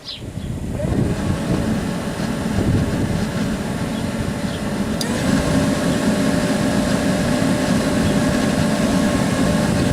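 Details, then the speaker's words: 1992 Chevy Astro van with a newly installed replacement blower motor (the old one was noisy): it spins up within a second to a smooth, even rushing drone with no ticking or rubbing. Normal blower operation. "sounds good and smooth now's the time to start putting the other tanks back in the wiper fluid tank and the coolant tank"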